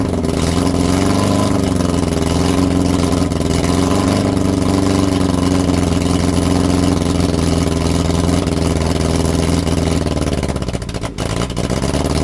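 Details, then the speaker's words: Lotus Europa Twin Cam, 123 Ignition distributor, Stromberg carbs, after distributor adjustment: uneven, lumpy, loping idle with a stumble, misfiring. Carbs spitting back less and it sounds better than last time; timing, valve clearance and carb faults are suspected. "The carb was not spitting. No, not as much. Yeah. I mean, some, yeah. It sounded better than last time."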